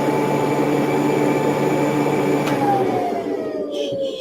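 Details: Tailos Rosie robot vacuum during a Diagnostics "run all tests" impeller check: steady high fan whine over a low hum, then the pitch sags smoothly as the motor spins down. Results came back all green; normal suction motor.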